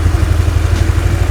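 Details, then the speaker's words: Honda Vario (carburetor) scooter with new TSF Racing carbon steel double CVT clutch bell and clutch lining set: low steady idle, clutch disengaged so rear wheel does not turn, no squeal or chatter from the drive. "Eh sekarang enggak ada suara sering dan ini cenderung silent guys untuk suara dari sininya ya jadi tidak ada suara berdecit sama sekali ini mangkoknya benar-benar silent"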